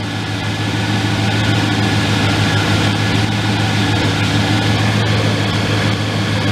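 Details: 2015 AC service machine charging R-134a on a car, engine idling on a cool day with AC on: loud, steady, even idle with compressor engaged, no cycling, rattles or squeals.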